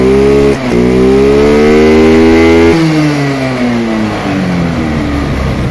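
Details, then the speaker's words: Rusi 125 motorcycle fitted with a Pure 125 carburetor (the Rusi carb was unavailable), test run after the swap: the engine revs up smoothly and settles back with an unbroken note, no stumbles or pops, so there is no misfire and the carb matches. "Di ba walang palya. Match na match yan dyan."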